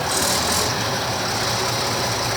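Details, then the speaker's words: Minneapolis Moline G1000 tractor engine after cylinder boring and head work, warm idle: once it warmed up a little it smoothed out into an even, steady rumble with no misses, knocks or surging; normal warm idle. "well once that warmed up just a little bit it smoothed out and sounds nice"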